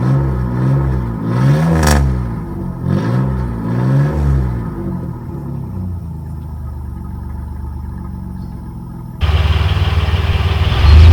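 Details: 1997 Chevy Camaro RS, 3.8L 3800 Series II V6, Cherry Bomb Turbo muffler with new turned-down tailpipe: a deep burble rising and falling with throttle blips, no droning boom or rattles; outside level barely changed, interior drone gone.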